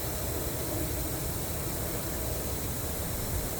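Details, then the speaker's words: Live steam model locomotive being prepped, filling gas fuel tank through fuel adapter: steady even hiss, no sputter, gas smell, normal filling; tank is full when it starts blowing out. "And fill it in. You'll hear it hissing. You can smell a little bit"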